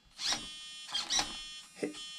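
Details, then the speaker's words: Tekno MT-410 RC truck with newly installed steering servo at full lock: thin steady electric hum under short whirring bursts as it strains; end points not yet set, later adjusted to 71 left and 76 right. "hear that humming it definitely needs the end point set"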